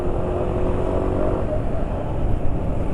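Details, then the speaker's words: 4T motorcycle engine running steadily under throttle: deep, even drone with no loud knock from the bottom end that was heard the day before; engine sounds healthy. "jadi penulis jalan ya biasanya kecepatan segini itu kalau digas segini ya gak ada suara Kaki yang kencang"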